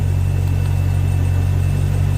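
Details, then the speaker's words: Volvo Penta 6.0 marine inboard, low hours, warming up after head gasket install: steady, even low rumble, no knocks or misses; no alarms, good rpm, clean idle. "see what else we got warming up good rpm and low hours"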